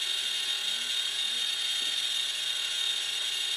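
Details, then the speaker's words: Older E/One grinder pump alarm panel under annual test: continuous high-pitched steady buzz, left running about 2 minutes to measure pump-down time until water drops below alarm level; high-water alarm working properly. "I'm just going to let it run until the light goes up, just so we'll get a measure of what your pump down time was on the video. It should run for about 2 minutes."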